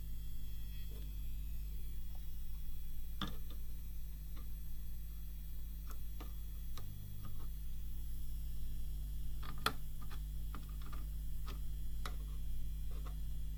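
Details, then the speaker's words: Seiki SE40FO04UK LED TV: constant low buzz/hum from the rear, suspected vibrating transformer on main AV board, present over a year; light taps while blu-tack damping attempted, buzz still audible afterward, fix unsuccessful. "well I don't think it was a success I could still hear the buzz"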